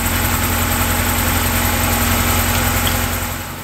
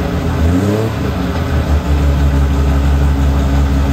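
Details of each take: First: Classic car that sat all winter, cranked with a small jump pack and a weak battery; even, laboured cranking at about three or four beats a second without catching while fuel is pumped up to the engine before it starts. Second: TVR 2500M classic car during a jump-pack test; it starts without needing the pack. It cranks briefly, catches and settles into a strong, steady run with an even, low exhaust note; it starts and runs healthy.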